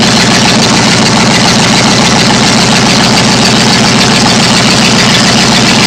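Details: Freshly rebuilt 1990 Ford F150 302 V8, the owner's first rebuild, running after all gaskets were replaced with no leaks: loud but steady, even idle with no misses or knocks.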